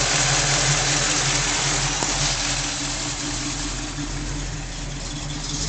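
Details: Uneven, lumpy idle with an irregular beat of about four pulses a second under a steady engine hum; rough idle.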